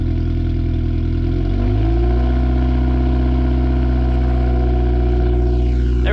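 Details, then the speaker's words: Turbo-project Honda Civic D16Y7 on a cold morning catches and idles low, then after about two seconds steps up into a steady choke high idle; normal cold-start fast idle. "i was about to say it's being tamed this morning but then it kicked into high idle choke"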